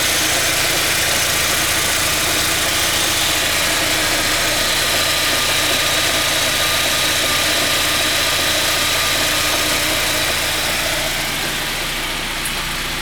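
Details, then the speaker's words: 409 engine: steady tick about three or four per second over running engine, changing with revs, not rods or pins; cause is a cracked drive belt with a chunk missing. "не шатуны не пальцы но звучит что-то вместе с двигателем и совпадает с оборотами то есть меняешь обороты меняется и амплитуда"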